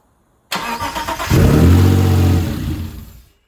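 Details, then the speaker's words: Owner-rebuilt Mitsubishi GTO twin-turbo, first start in three years, fuel pump jumped by wire: starter churns a second, engine catches with a strong even rumble then fades within two seconds; won't stay running, changeover relay suspected. "so the engine's starting sounds pretty strong but it it's not staying on"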